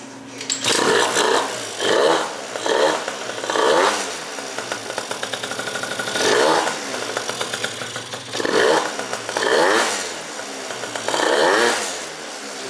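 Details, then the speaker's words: Malaguti Phantom F12 two-stroke scooter with Polini Corsa 70cc big bore kit, Yasuni R exhaust and Polini CP carb, after fixing exhaust leak: crisp, raspy buzz in short throttle blips, no leak chuff; throaty, runs healthy. "pretty throaty, that polini car, man. Those things sound good."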